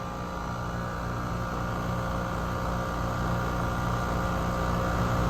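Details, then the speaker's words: 2017 Weatherking air conditioner with a badly frozen suction refrigerant line, recorded at the compressor: a steady droning hum with a buzzy, strained tone on top. Abnormal compressor sound; low refrigerant suspected. "sounds really weird doesn't it sounds super weird"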